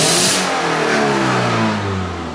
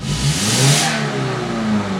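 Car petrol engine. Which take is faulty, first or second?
first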